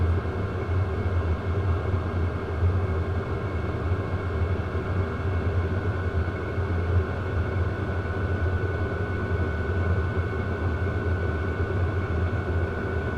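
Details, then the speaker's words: 12 V WIPPRO diesel heater, about a month old, run in December with the muffler off, warming up and starting to blow warm air: a loud steady roaring rush with a constant high whistle and no fuel-pump ticking. Normal, quiet running. "You cannot hear the fuel pump ticking or anything, which y'all know they all sound like jet engines revving up."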